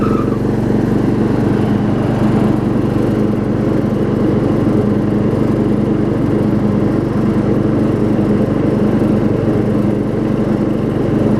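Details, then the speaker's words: Circa-1994 Craftsman LT4000 rider, 12.5 hp Briggs, 38-inch deck refitted after carb and brake adjustment, test run: steady, even drone with no knocks or stumbles; starts and runs fine despite flywheel missing teeth. "the flywheel would probably eat almost all of my profit off of this mower and it does start and run just fine"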